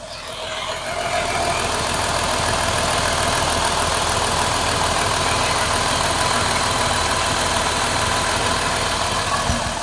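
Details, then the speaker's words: Jeep 3.6 Pentastar V6 at idle, with the microphone held near the top of the engine: busy, fast light ticking over a steady idle. Owner suspects valvetrain tick from the too-thin specified oil and switches to 5W30 synthetic, not confirmed. "I'm going to try and hold the microphone over here so that hopefully you can hear the Valvetrain ticking with this engine."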